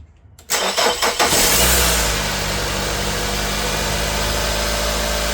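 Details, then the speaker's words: 2002–06 Nissan Altima 2.5 after alternator and belt replacement: starter whirs briefly, engine catches and settles into smooth even idle, previous loud noise gone; normal start and idle. "And there you have it. You see, we started it, no noise."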